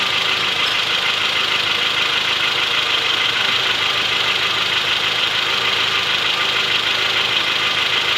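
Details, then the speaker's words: Honda Odyssey engine before teardown, at idle and when throttle is given: a light, regular knock over a hissy running noise, louder on throttle, from the third-cylinder connecting rod bearing. "Ну вот, до вскрытия, будем говорить, двигателя слабость гремит. Вот где-то третий вот здесь."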